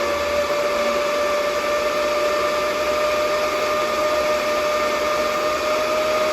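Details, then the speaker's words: DB Werx amplifier fan on an adjustable buck voltage regulator, test run starting at 8.23 V output and increasing voltage: smooth steady whirring hum, single tone, no rattle; normal fan running. "All right, test run. Turning this on. Set at 8.23 voltage, output voltage. Increasing the voltage."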